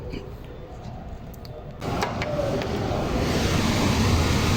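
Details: Newly replaced single-phase blower motor in a chilled-water FCU, wired with capacitor, first start: quiet, then a steady rush of air and smooth, even hum build and hold; drawing about 4 A against 8.4 A rated; healthy.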